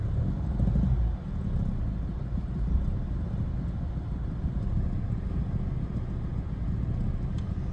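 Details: Renault Megane 1.5 dCi diesel after fitting a used replacement for faulty injector no. 3 and clearing fault codes: low steady idle rumble, a touch rough at first then settling smooth, no knocking or misfire, no fault code returning; engine running properly.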